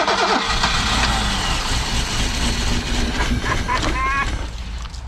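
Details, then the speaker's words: 1987 BMW 528e (E28) that sat about two years, with foul-smelling old gas: a loud crank, then it catches and runs rough for a few seconds before fading out. Suspected causes are stale fuel, a split intake boot sucking air, and at least one cylinder not firing. "okay so our theory now is we just have to get through the bad gas that is in the system it smells terrible it ran a little longer that time"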